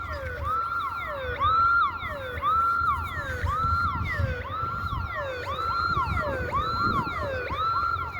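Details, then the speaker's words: Alarm siren sounding near a parking lot on a Sunday afternoon while the site is closed, with no tornado or scheduled test; a wailing tone rises and falls about once a second, over and over. The trigger is unknown, and an animal or intruder is suspected. "It's like, I don't understand this whole alarm thing. Why it goes off every once in a while."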